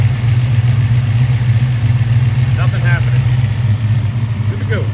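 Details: Car at idle after replacing a boost bypass valve that failed to hold vacuum: steady even low hum, no hiss or whistle; engine and new bypass valve sound normal.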